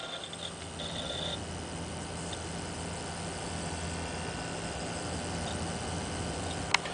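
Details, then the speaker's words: Zalman ZM-1000HP power supply in a water-cooled PC idling on the desktop: soft steady fan hum and faint hard-drive noise, no squeal (squeal appears under GPU load with Vsync off). "also nice and quiet this is it idle on the desktop"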